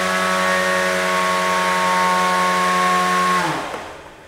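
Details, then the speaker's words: Beetleweight combat robot belt-driven weapon drawing about 30 amps while spinning, clean steady high whine for about three seconds then smooth wind-down, no belt slip; normal weapon spin. "yeah we're somewhere around 30 amps just with the weapons spinning so you know I'll do some quick calculations see if we can do full three minutes with that"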